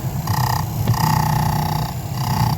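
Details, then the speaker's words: 1992 Chevy Silverado C1500 blower motor after reinstall, running on medium: raspy scraping squeal in bursts under fan hum; owner assumes motor wasn't seated right, wheel rubbing housing when bolts loose. "I'm assuming I just didn't have it sitting perfectly where it wants to sit, because if you loosen these bolts up, see, I can move it and it'll rub. So I'm assuming that's what was happening."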